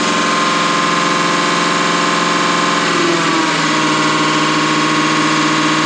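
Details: Deutz V8 diesel injection pump from a MAN KAT truck that had lost power (50 km/h max), cleaned and run on a diesel specialist's test bench; loud steady mechanical whine with fixed tones shifting pitch once as speed changes; normal injection pump operation.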